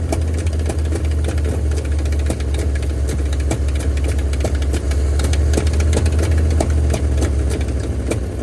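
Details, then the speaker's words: 1971 Ford F250 parked 30 years, cold at −15 °C, now running after a boost: a rough, lumpy idle with sharp irregular ticks about three to four a second. One or two valves are suspected stuck with bent pushrods; the plan is to pull the valve cover, free the valves and replace the pushrods. "I'm gonna have to pop that valve cover and change the push rods, but knock some valves free. Sounds like one or two is all that's stuck on this one."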